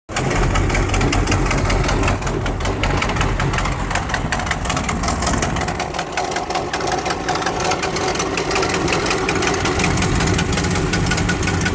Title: Exhaust leak 2